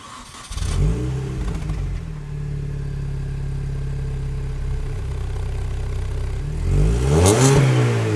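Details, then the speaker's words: Mini Cooper S R53 after removing the Borla cat-back exhaust and refitting the factory exhaust: starts and settles to a smooth, mellow idle with soft burbles and clean throttle blips; quieter exhaust, healthy engine. "all right so that's what it sounds like kind of cute I guess it's got weird little burbles"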